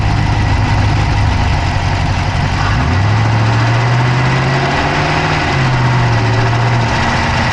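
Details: Dodge Charger Hemi V8 at idle, recorded inside the passenger-side engine bay: a steady idle with a quick, light ticking over the rumble that keeps pace with the engine; an engine tick whose cause is not pinned down.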